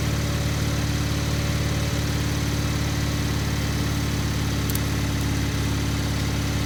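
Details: Gravely 50-inch mower deck after repair, running on the lawn with the lifter arm left off: an even engine drone and constant deck hum with no knocks, grinding or rattles. Running normally; the deck grease still needs watching.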